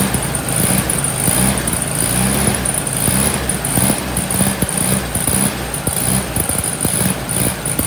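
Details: VW Sunbug air-cooled flat-four, just reinstalled with rebuilt transmission, idling with mechanical oil pressure gauge fitted: low even putter over a hissy background, no knocks or misses; healthy idle.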